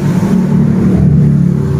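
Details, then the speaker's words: 2020-2021 Honda Beat scooter CVT, rear wheel spun after fitting new bearings: a steady, even low hum, now smooth, with only normal bearing noise and none of the earlier crackling. "sudah halus ya. Ini bunyi wajar, bunyinya laher dan juga laher bambunya. Yang penting sudah tidak seperti kretek-kretek ya teman-teman."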